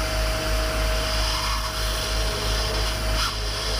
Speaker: number three you just hear there's nothing but air going down that's fine that's empty